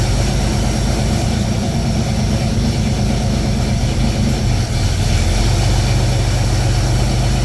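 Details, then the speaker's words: Pontiac Fiero at idle, A/C low on refrigerant so compressor short cycles while refrigerant is added: loping low rumble as the compressor clutch keeps cutting in and out. "so that's what it's doing short cycling there's not enough in here"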